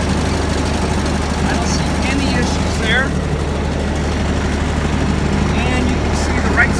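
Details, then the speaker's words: Kubota ZD326 zero-turn mower bought in 2006, about 230 hours, after new deck belt and centre pulley wobble repair, deck engaged at low throttle: low steady drone, no slap, squeal or wobble thump; belt and pulleys running smoothly. "you can see down there everything's turning the hole is turning nice and through following like it was i can look at my left side pulley"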